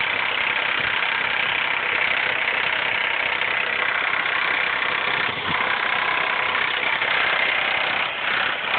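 A petrol engine idles with a loud, busy metallic rattle running steadily over the engine note. Cause suspected, not confirmed.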